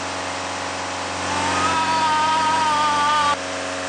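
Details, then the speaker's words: Ford Mondeo Mk4 diesel (2012-2014) during scan-tool-forced DPF regeneration, fuel vaporizer nozzle issue context: idle swells louder with faint rising whine for about two seconds then drops back; changing engine note indicates normal regen, no problem. "if the engine note doesn't change while it's doing a region there's probably a problem but in this case which is good there isn't a problem"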